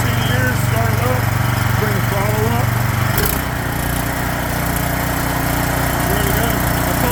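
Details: Craftsman snowblower small engine, sat two years with fuel, after carburetor cleaning and fuel shutoff valve install: steady even buzz settling to a slightly lower smooth speed, no misses or surging; running healthy.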